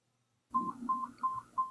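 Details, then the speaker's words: Nano BTE4 (formerly Nano X2 Recharge) hearing aid powering on after holding the lower button three seconds: four short evenly spaced beeps indicating return to program four, one beep per program number. "You'll hear one beep for program one, two beeps for program two, etc."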